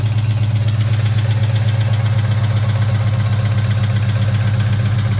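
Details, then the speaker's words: 2003 Mustang Cobra (Terminator) V8, project car at start-up and idle: lumpy loping idle, about four pulses a second, with a stumbling cylinder; a really bad misfire, owner suspects bottom end, not confirmed. "Let's fire this thing up real quick, so you can hear the shenanigans that is the engine noise. It's got a really bad misfire."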